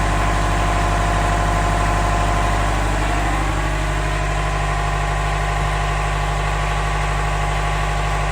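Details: Canal widebeam narrowboat diesel after replacing a blown inline fuse between ignition relay and starter solenoid: catches with a bit of throttle and settles into a steady even beat about three firings a second, deep rumble; healthy running.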